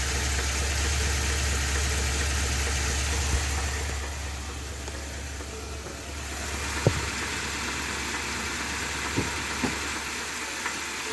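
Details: 2020 Ford F250 Tremor 7.3L V8 after dealer oil pump replacement (SSM51330), idling the night before it seized: a dull knock about three times a second plus some sharper taps, a serious internal knock.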